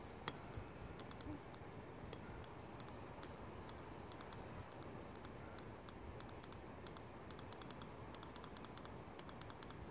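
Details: BMW S54 VANOS valve body on the bench, being cleaned with brake cleaner and cycled by hand: sharp, irregular solenoid clicks getting crisper as the sticking valve frees up; gunk causing P0012 codes and improper VANOS operation.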